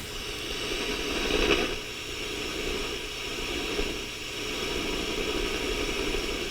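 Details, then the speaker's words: Sony TR-6 six-transistor radio under repair, heard through a signal-tracing probe at the oscillator: a steady soft rushing hiss with no tones or crackle, showing the oscillator is working. "That rushing noise, that's the oscillator is working."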